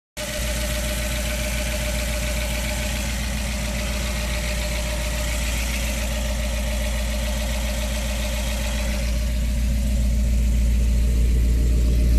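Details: 1969 351W Ford V8 reman long block with Flotek 180cc heads and Comp Cams 255 DEH cam, replacing an engine with a bent cylinder 5 connecting rod; even, steady burble at idle, no misfire.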